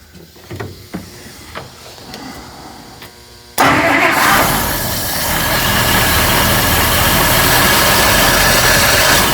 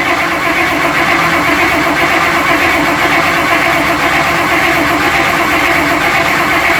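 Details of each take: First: 1955 Buick Special V8 after a carburetor and brake master rebuild fires with faint clicks, then idles steadily but slightly unevenly. It dislikes throttle and is still lazy off idle; the owner hopes it cleans up. Cause unknown. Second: 1955 Buick Special that sat unknown years, with carburetor and brake master being rebuilt and wet points: once the fuel line was hooked up it catches and settles into a steady idle with a slight lope. It is still a little lazy off idle and dislikes throttle.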